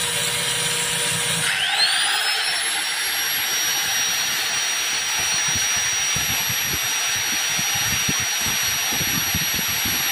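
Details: Angle grinder started after the drill with a 2 A Schneider breaker and a 50 µF/450 V anti-trip capacitor; power reads 317 W and the breaker does not trip. Whine climbs quickly to a steady top speed with no bogging. Normal running.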